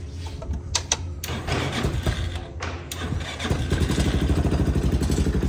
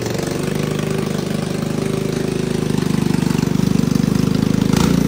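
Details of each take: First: Hammerhead 250cc ATV after new spark plug and plug wire, old plug badly gapped: a few cranking thumps, then it catches and settles into a steady single-cylinder putter with light revs; starts and runs properly. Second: Hammerhead 250cc ATV, first start with a drilled-out clogged petcock, jumper battery and no airbox: fast, steady, even-beat idle well above normal, before the idle is turned down.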